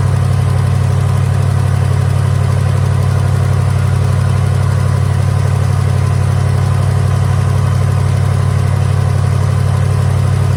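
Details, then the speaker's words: 1983 Hurst/Olds 15th anniversary Cutlass, Oldsmobile 307 V8, parked since 2002, first run on fresh premium gas: deep, steady V8 burble pulsing evenly with no misses, knocks or ticks; engine idles smoothly and runs pretty good. "i just don't know this thing runs pretty good"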